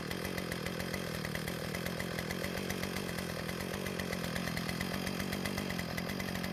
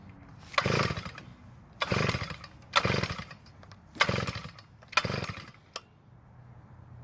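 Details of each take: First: Earthquake tiller small single-cylinder engine after adding fresh fuel and priming: running fast and even with no misses, sputter or surging; no-start was caused by water in the gas. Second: Earthquake tiller that won't start after storage, pull-start attempts: five rapid cord pulls about one per second with no catch or firing; no-start traced to water in the fuel.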